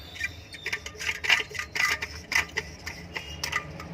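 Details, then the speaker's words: Indo 230 V 50 Hz ceiling fan ticks and rattles about twice a second, dry binding lower bearing catching as it turns; fixed without replacing the bearing. "ये देखिए इसमें थोड़ी सी अजीबोगरीब वॉइस आ रही है, इस तरह से कुछ वॉइस आ रही है इसमें।"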